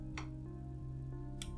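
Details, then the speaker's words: 1978 Nikko TRM-650 amplifier, 50 W per channel, first power-up through a series bulb: low steady mains hum, then a single crisp click as the speaker protection relay pulls in, showing no DC offset on the outputs; normal. "Okej. Przekaźnik się załączył. Ciekawe. Czyli co? Nie mamy składowej stałej na wyjściach."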